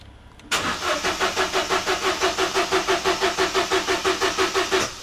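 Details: 2013 Vauxhall Corsa D 1.2 cranking evenly at about three compression beats a second but never firing after the water pump pulley bolts and drive belt were fixed; no fault codes, crank-no-start cause never found.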